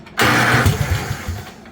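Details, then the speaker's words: Homemade pull-behind brush mower built in 2023 from an old Craftsman riding mower with a 50" deck. Engine catches and barks loud and raw with lumpy low thumps. It runs slightly choked with no muffler fitted yet. "She's a little bit choked. Sounds like a derby mower right now, but there's a muffler over there."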